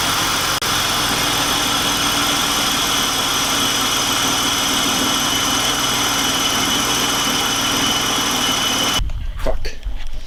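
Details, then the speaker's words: BMW E46 wagon, rough idle after replacing four spark plugs (old plugs black, fouled) and keeping two originals; uneven, lumpy, unsteady idle for about nine seconds, plugs did not fix it, check engine light on; still misfiring, cause not yet found. "fingers crossed something tells me it's doing a run like a bag of [ __ ]"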